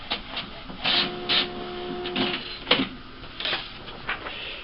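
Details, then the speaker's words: HP Officejet G85 after repair (motor disc and sensors cleaned) for a grinding noise at startup and shutdown, running a black copy: whirring scanner head and carriage, brief motor hum, light clicks, no grinding. "The scanner head's moving around, not making any noise. And it's starting to copy."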